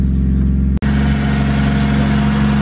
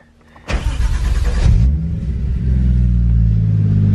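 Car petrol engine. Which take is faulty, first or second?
second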